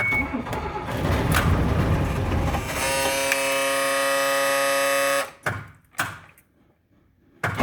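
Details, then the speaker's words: 1996 Blue Bird diesel school bus cold start with seats removed: glow-plug wait, short crank, then the engine catches and settles into a steady idle, shaking more while cold; a healthy start. "fire right up guys fire it right up you can hear more vibration now because everything's out of it when it warms up it won't shake as much but when it's cold it's really gonna shake just the way diesels are"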